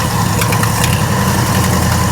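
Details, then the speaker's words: Abandoned 1968 Ford XL with a failed carburetor, started on starting fluid: the idle is ragged and uneven with occasional stumbles. The fuel filter holds barely any fuel from the tank, so the engine is fuel-starved. "See that filter? That should be full of fuel pulling from the gas tank. All right. I know there's fuel in there cuz there's a little bit of fuel. Barely enough to keep it running coming through."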